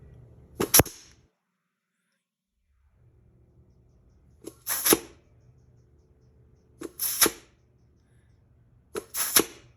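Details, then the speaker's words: GM 4L60E rebuild, low reverse clutch air check at its port: four sharp air applies a couple of seconds apart with no hissing; a strong apply means the seals were not cut on installation. "All right, this sounds pretty good. If you hear any hissing, any kind of, or a lack of apply, that tells you that the seals got cut on the way in."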